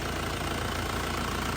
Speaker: Mesinnya tidak goyang masih stabil tidak pincang ya biasanya kalau mesin kurang sehat itu juga pincang ya